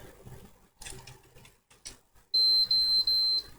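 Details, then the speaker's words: PS4 fat that won't turn on: right after the power cable is plugged in it gives three high-pitched beeps in a row, a pattern suggesting overheating though the console is off. Cause suspected, not confirmed. "Eh the console has been sent because it doesn't turn on and it only makes three beeps Ok"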